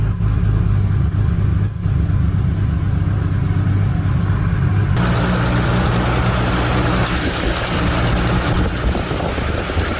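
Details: Engine with a freshly rebuilt Greddy T78 turbo (eBay kit), first start after reassembly with silencer fitted to check for boost leaks; starts into a rough, muffled idle, then revs up steadily with no knock or squeal.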